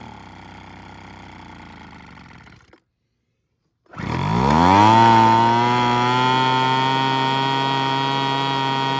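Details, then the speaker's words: Curb-found Weed Eater BV1650 two-stroke blower vac on fresh 40:1 fuel, first run after priming: fires after a pause, revs up and holds a high, slightly unsettled run; owner thinks it must burn off spilled oil. "all right I think it's got to burn off all that oil that was everywhere so I'm going to run it on a full blast for a little bit and see what see if it clears up"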